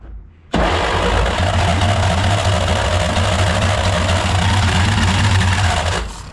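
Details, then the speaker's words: 1938 Dodge D8 sedan engine, unstarted for roughly 30–40 years, on starter fluid. It runs rough and uneven for about five seconds on the starter, then dies once the starter is released. Owner considers feeding fuel to the carburetor. "And as soon as I let the starter go, it dies."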